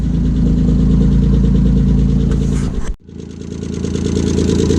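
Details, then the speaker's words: Non-running project car just started after battery connection, rough idle with a light tick about four times a second, sagging near stall and recovering; top-end hydraulic tappets suspected rather than bottom end, plus an exhaust blow. "that sounds like the hydraulic napkins on top"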